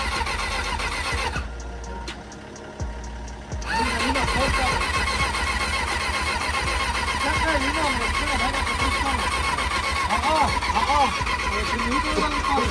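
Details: Cheap old 600 cc motorcycle that wouldn't start, choke used, owner thinks it needs a battery: starter grinds a couple of seconds then catches into a rough, uneven run; slow start.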